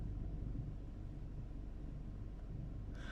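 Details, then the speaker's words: Car idling after the PCV valve was replaced (part 06H 103 495 E) and the engine light was cleared, with EPC off: low, steady, even rumble with no stumbles, the car hardly shaking. Normal smooth idle after the repair. "oh my word i've never felt this car idle so smooth"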